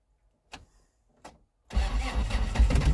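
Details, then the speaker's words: Diesel-swapped Toyota on 50% summer diesel and 50% centrifuged used vegetable oil, about 27°F cold start; two starter blips, pause, then catches into rough lumpy rumble, hard cold start. "oh so close i think it's uh 27 degrees out today so"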